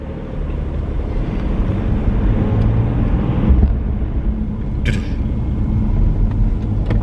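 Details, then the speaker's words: Empty car trailer being towed: low road rumble with loose clattering and thumps over bumps that sounds awful. Less bad on flat surfaces; it has done thousands of miles like this and the cause is unknown. "now what's it like driving without any load on back pretty terrible sounds awful"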